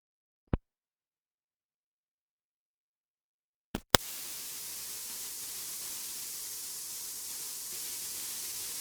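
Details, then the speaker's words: A click, then a steady loud hiss once the AC-2EX intercom is plugged into the 9er Systems USB interface. The headset connected directly had good quality with no noise. Static enters somewhere in the intercom hookup; source unknown. "It really seems like all the noise issue starts happening uh once we plug in this intercom."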